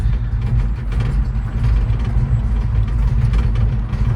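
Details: 1968 Ford Fairlane 500 Fastback, sat eight years, first drive after an earlier no-shift problem: low engine rumble under way, a smooth even pull through second and third, with no flare or slipping. The transmission is upshifting normally.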